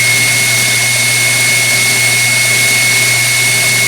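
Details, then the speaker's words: KitchenAid Artisan mixer, about 6-7 years old and barely used, after new brushes and speed control plate adjustment (board sits crooked): loud rushing whir with a piercing high whine; runs but rough, owner suspects armature, governor, bearing or speed control board. "it was the point where it wouldn't run at all but it's still making awful noises"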